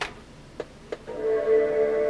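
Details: Power Macintosh (Performa 6200CD or 5300/100 LC) at power-on: two soft clicks, then a clear sustained chord rings out steadily; normal startup chime.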